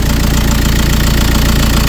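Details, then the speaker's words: 2010 VW Caddy 2.0 SDI diesel after first start, low on fuel, idling up to temperature to bleed the coolant system: steady even diesel idle, regular low clatter, no misses or knocks; normal diesel idle. "So she's a runner. Got it running up now, running it up to temp so I can bleed the coolant system."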